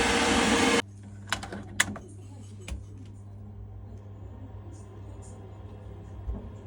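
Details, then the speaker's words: Worcester Bosch combi boiler after replacing the failed noisy fan and setting max/min gas: quiet, steady low hum with a few light clicks, no rattle; running normally. "One nice quiet boiler, happy days."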